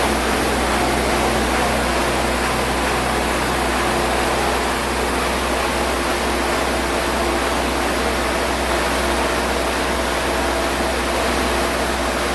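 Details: Spray foam rig air compressor powered by the generator, started with its push button and run for a few seconds; steady, even roar with a low drone underneath and no knocks or surges. Normal running.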